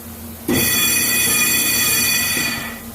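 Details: Undamped brake rotor being cut on a lathe: sudden loud piercing metallic ring held about two seconds then fading. Three magnets on the rotor edge are the remedy shown, said to cut about 90% of the noise.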